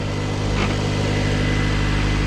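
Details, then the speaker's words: Turbo Honda CRX with new full exhaust after fixing raspy exhaust: quiet, steady, even idle at 1100–1200 rpm with no rasp or drone, the fuel pump whir louder than the exhaust, plus slight loose-bumper rattle. "this thing is so quiet it's unbelievable yo i'm loving it 11 1200 rpms the fuel pump is louder than the exhaust"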